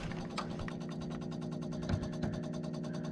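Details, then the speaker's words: Trane A/C system after replacing a corroded control board, breaker turned back on: rapid even ticking, about three per second, as the electronic expansion valve stepper motor runs its test cycle and backs off; normal EEV test cycle. "running through a test cycle for the EEV. You hear it backing back off."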